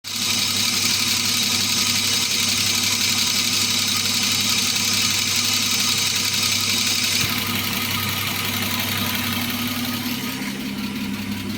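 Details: BMW E34 with M50B25 engine at idle: steady idle with quick light ticking about three taps a second; hydraulic lifter tick.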